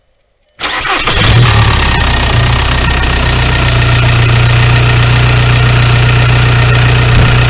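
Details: 2001 VW Golf TDI ALH after injection pump head plug seal replacement and bleeding air at the injector lines: a quick crank, clean catch, then a steady, even diesel clatter with no misses; healthy idle.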